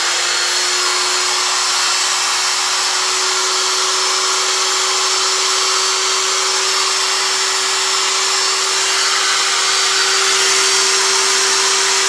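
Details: Elu router after bearing replacement: even, steady high-speed whir with a clean constant tone and no rumble or grinding; bearings sound healthy, normal running.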